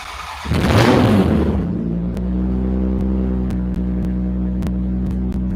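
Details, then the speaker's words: Toyota 1MZ-FE V6 in an MR6 build, first start-up, in neutral and still cold: cranks, fires and flares, then settles into a steady, even, throaty idle of about three beats a second; "this thing sounds good", healthy and smooth. "Damn, this thing sounds good."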